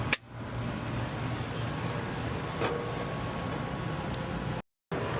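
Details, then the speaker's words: Central AC not cooling, breaker humming, amps climbing toward 25 with yellow alert light flashing 3: sharp click, steady low hum dropping out briefly as compressor shuts off and tries restarting after safety shutdown; compressor suspected dying. "And then it turns off. And it tries to start itself back up"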